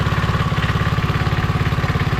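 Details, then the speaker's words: Briggs & Stratton 3hp IC Model 80212 (80000 series) four-stroke single on a Masport rotavator, started at half throttle and running nicely with a smooth, even firing beat, no knocks or misses. "I know it runs essenti it's not a will run video at all it does run it runs really nicely"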